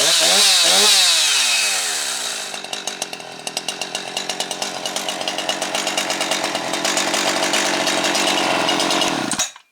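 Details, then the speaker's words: Jonsered 2156 chainsaw after Walbro HDA 199 carb rebuild (new pumper element, stiffened metering diaphragm replaced), previously slow to settle off idle: screams to full revs, drops straight back to steady idle, no hanging or stumbling. "You can see revs out and regulates and comes back down to an idle right away like it should, not acting all funky like it was there before."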